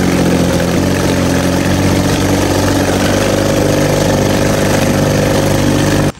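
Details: 1950 Johnson HD 25 2.5 hp two-stroke outboard in water-test bucket after carb adjustment: busy buzz rising and sagging, won't hold lowest idle then cuts out; owner suspects points need cleaning; unstable low idle.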